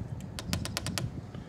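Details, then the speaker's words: 2000 Evinrude 225 FICHT outboard with a tilt/trim fault: pressing the trim button gives quick, sharp clicks from the solenoids under the side panel, on both up and down, but no motor whir and no trim movement. A new trim motor was obtained as the suspected fix. "and up in here, you can hear these solenoids ticking, but the trim is not working."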